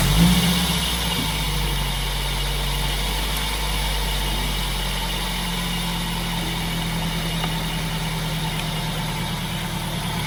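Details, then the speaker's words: Toyota MR2 Spyder at idle after starting, a steady whirring, hissy drone from the belt-driven pulleys that almost sounds like a vacuum leak; the cause is a failed, roached bearing in the heavy idler/bypass pulley on the belt drive. "It almost sounds like a vacuum leak, but that's it right there."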